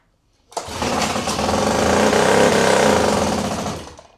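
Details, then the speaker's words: Homemade four-horsepower single-cylinder outboard, first start without choke: it fires and settles into a steady, fast, even putter and runs cleanly. A leak was noticed afterward, possibly from the intake. "Yeah, it's going to go. I can tell. You hear it? No choke."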